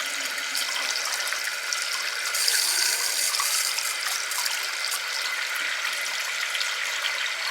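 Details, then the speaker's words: Well pump water system after finding and fixing a leak from a popped Harvard pop-off valve that let air into the lines, checked an hour later at a tap: steady strong water rush with no spitting or air; normal water flow. "This is the real telltale one. Air or water? Water. Nice and strong."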